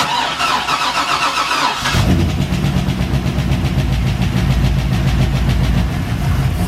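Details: Chevrolet C6 Corvette after an LS3 engine swap, first start after the swap: a short crank, then it fires at about two seconds and settles into a steady, even V8 idle; a clean, healthy start.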